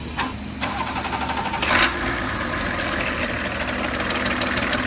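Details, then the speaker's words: BMW E38 failing to start an hour before the ferry on the drive from Latvia to Norway: a few sharp stumbling bursts, then it settles into a rough run; reluctant start, cause uncertain. ">> 1 hour before 1 hour before the ferry, car car didn't start anymore. >> Cranking, cranking,"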